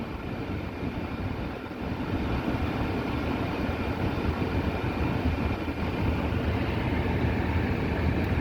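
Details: Duramax diesel after fuel filter change and self-priming: low, even diesel rumble that builds slightly and settles into a steady run with no knocks or misses; starts and idles normally.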